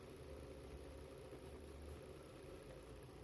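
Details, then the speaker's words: 2011 Volvo XC60 3.2 idling after an ignition coil swap fixed misfires on cylinders 2 and 4 (P0302/P0304); one bad coil can affect the other: low even rumble, no misses or shakes. "See, can you hear the change? There you go. And now the engine sounds smooth."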